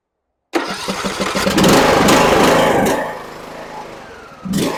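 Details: John Deere E100 riding mower that had died while driving with a puff of smoke, started after the battery positive and negative wiring was checked. The starter cranks briefly, then it catches and settles into a steady, even run. Normal start and run.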